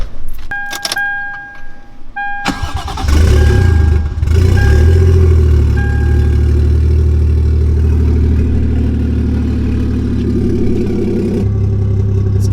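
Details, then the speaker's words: Lexus IS300 with a just-completed 1JZ-GTE swap, started for the first time in a while. Chimes and a quick crank, then it catches into a smooth idle with a few clean revs. Normal start and rev. "give her a few revs. Working now, and yeah, man, pretty nice."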